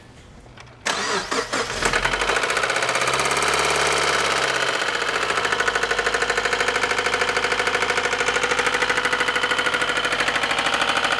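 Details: Subaru WRX 2.0 L turbocharged intercooled boxer engine settling to idle with a hard, regular bottom-end knock, rod knock; engine later needs a short block replacement.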